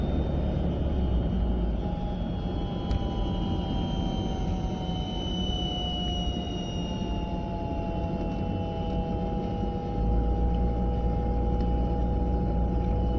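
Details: Volvo 940 at 30 to 40 mph: road rumble with a thin steady whine drifting slightly in pitch, heard from the passenger side, source not yet found; whine while driving.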